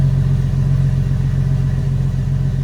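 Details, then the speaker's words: Jeep Wrangler with intermittent no-crank, no-click fault, after removing the starter and welding a loose solenoid connection: steady, even low idle with no misses or clicks; running normally. "oh we're good so hopefully that loose connection was a culprit"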